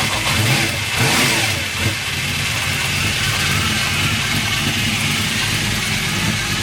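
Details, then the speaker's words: Freshly swapped 383 stroker V8 in a 1998 Chevy S10, idling with timing still a bit off; steady high mechanical whir over the lope from the gear-drive timing set, normal. "so it does in fact have Gear Drive timing in it that's where all the noise was coming from"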